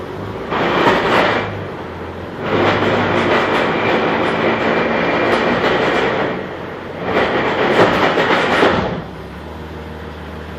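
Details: Jeep Grand Cherokee WJ, 242 Selec-Trac, jacked up in gear after 4x4 use: heavy rhythmic clunking and grinding. Stripped transfer case gears were suspected; it was actually the front Rzeppa driveshaft CV joint at the transfer case, fixed with new yokes and a double cardan.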